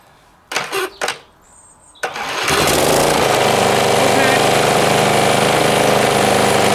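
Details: John Deere JS63C lawnmower with a fully rebuilt engine, eBay starter and ring gear added to the flywheel: two pull-cord tugs, then it catches and settles into a steady, even beat with no misses or knocks.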